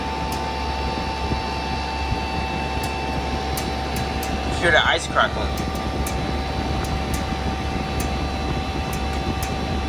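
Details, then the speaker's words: Lasko side-discharge 300-series heat pump running with steady fan and compressor hum plus sharp irregular ticks and crackles from ice on its frozen-up coil. "This the first ever time I've seen this thing frozen up."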